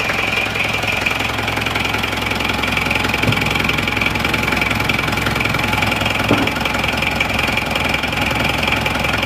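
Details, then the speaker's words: Isuzu Panther diesel after NPR liner and piston ring rebuild, cold start: hard, sharp clatter at idle about 160 a minute; injection timing set too far advanced, to be retarded later. "Keturun yo suaranya. Terlalu maju ini timenya. Tapi ora tim. Timing terlalu maju, tapi sementara gini dulu nggak apa-apa."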